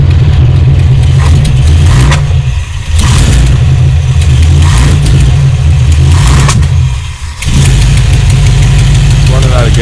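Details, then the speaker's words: 1978 Chevy Malibu V8 with the electric fuel pump not hooked up: loud, lumpy rumble with sharp pops and stumbles as it starves for fuel and backfires, though it did not die. "right now that's why i was backfiring and everything but eventually it didn't die out i don't have the electric pump hooked up but yeah that's how it sounds"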